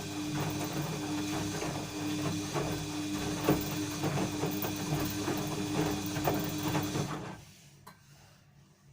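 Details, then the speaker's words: Washing machine during a wash: drum turns with a harsh metallic scrape like metal rubbing on metal plus a steady hum, then goes quiet; no foreign objects inside drum. "будто вот скрипит желез или железом железо трется скребет как только крутится барабан"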